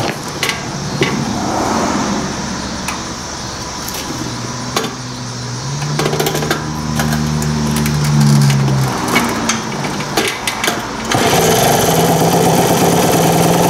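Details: 1978 Indian moped with a four-stroke gasoline engine, with the air cleaner just fitted and on choke: small single putters at idle, then revs smoothly with the pitch rising and dropping back cleanly; normal running.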